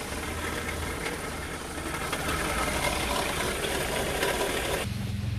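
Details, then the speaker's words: Renault Clio 3 idling with accessory belt removed: gritty rattling whir traced to a failed alternator with bearing play, not the high-pressure pump first suspected. "donc j'ai en alternative qui est hs c'est bien celui là à l'intérieur et là un jeu de roulement et que du bruit"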